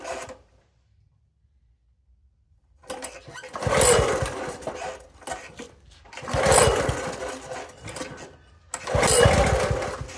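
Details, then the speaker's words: Toro SG-6 stump grinder with Honda GX200 engine and new carburettor, full choke, hard idling: engine catches in short surging bursts every three seconds then dies; acting fuel-starved though fuel present, eventually traced to an oil level issue. "So it's acting like it wants gas. It's a full choke. Still can't keep it running."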